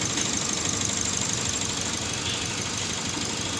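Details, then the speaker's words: Toyota Vios that would crank but not start, now running after repairs, not yet warmed up; idles unevenly with a pulsing of about three beats a second, a slight misfire; spark plugs to be checked. "Ayun umandar na yun oh hila-hila pa k gabi confirm medyo may palya lang"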